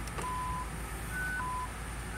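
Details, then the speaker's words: 2008 BMW 750Li, bought as no-drive/no-reverse with a parking brake fault message, engine idling. Alternating low and high warning chimes as the selector drops back into park from reverse or drive. Suspected faulty parking brake actuator. "right back in the park putting the drive goes right back in the park even if i was to try to put it in drive try to hit the gas a little bit nothing"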